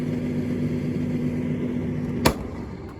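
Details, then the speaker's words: Street-found Indesit IDCE8450 condenser tumble dryer, mid-cycle with a hot heavy load, door opened: steady low motor hum running both directions, no drum tumbling, one clunk. Drive belt possibly missing, motor running while drum stays stopped. "that's not turning you know so maybe we do have an issue that's just that's just cooking so maybe there's no belt in it maybe I'm learning something here right so it's just uh it's not agitating at all even though the thing's running one way and then running the other"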